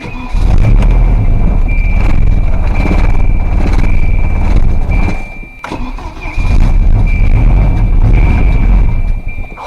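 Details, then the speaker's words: Volvo 740 first start after head gasket install, no coolant, radiator out, jump-started: engine catches and runs rough and uneven with heavy lumpy pulses and a stumble; owner jokes of rod knock, cause unclear. "Oh, that sounds like a bad motor. It's rod knock."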